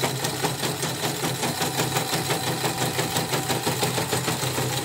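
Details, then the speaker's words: Portable CNY embroidery machine after repair: fast stitching about three beats a second with a rough scraping squeak each turn; hook and bobbin case worn, perhaps slightly loose from earlier being forced while jammed; stitch quality and rotary rotation otherwise fine. "rapi ya, tapi emang ada dua krok mungkin ada yang agak kocrak kemarin bekas macet dipaksa muter atau gimana ya gitu lah."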